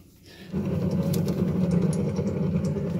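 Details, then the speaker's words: Haas ST25 lathe, listening to the motor bearing in isolation: a rough, gritty low rumble from the failing motor bearing. The spindle bearing housing is smooth. "so this is the bearing on the motor isolated now that's where all our sounds come from"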